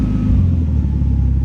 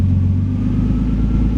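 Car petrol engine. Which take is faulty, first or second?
first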